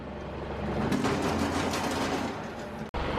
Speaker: the spout it's just kind of gotten loose in there there's really no form of lubrication it just kind of rolls around inside there steel on steel you can see it's kind of dry it's kind of picked up some rust there